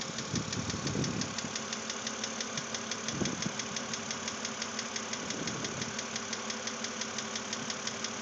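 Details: 2006 BMW Z4 3.0si at idle: sharp even ticking roughly three per second; lifters already replaced without effect, head replacement hoped for, source not pinned down.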